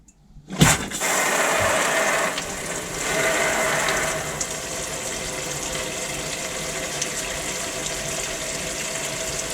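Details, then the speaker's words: Motorhome water pump first use after winter, hot tap at the sink after air purged: smooth, even rush of water with no sputtering or air spitting; steady primed flow, normal. "That's a nice steady flow. On cold, turn it to cold."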